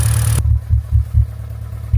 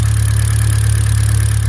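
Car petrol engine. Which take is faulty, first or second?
first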